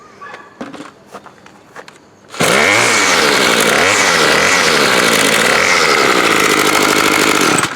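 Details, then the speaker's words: Bolens BL110 25cc trimmer after a new carb, fuel lines, fuel filter, spark plug and air filter, with no carb adjustment. It restarts first pull and revs crisply up and down with no stumble. Normal start and running. "It's pretty freaking good."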